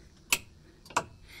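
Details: 1981 Comutacar electric vehicle that won't move forward or reverse when accelerator pressed: sharp, loud single clicks about every 0.6 s with no motor hum, coming from the rear electric motor and throttle area; hot light stays on, charge meter not working.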